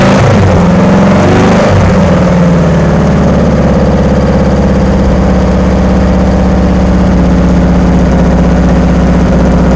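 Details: VW-powered Sterling kit car after static timing and valve adjustment, valves found loose: uneven, lumpy beat with wavering low drone instead of smooth idle; runs rough, wiring to be checked, fuel pump suspected.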